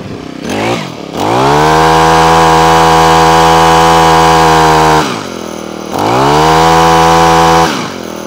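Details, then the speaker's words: Honda HHH25 four-stroke single-blade hedge trimmer after carburetor clean and new diaphragm (previously cut out at full revs): clean rise to steady high rev, held without stumbling, dropped and revved again. Normal running. "so there you go one Honda hh25 now up and running quick carburet clean"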